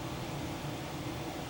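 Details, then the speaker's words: Electric car charging on a warm day: steady, even whir of the fans with a low hum underneath, no knocks or rattles; air conditioning and radiator fans running to cool the battery while charging. "that thing that sounds like a jet engine going out there that's my car charging I've got it plugged in and it's charging up and because it's so warm out today it's turned on the air conditioning or the coolant conditioner to cool a battery as it's charging"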